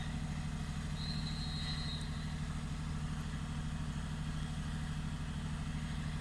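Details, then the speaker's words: 2007 Lexus IS350 petrol V6 idling low and steady with no stumbles after the mass airflow sensor was replaced; it previously idled rough around 500 rpm and stalled at stops, and the check engine light has since come on. "the mass airflow sensor as soon as we changed it is improved start to idle probably as you can see"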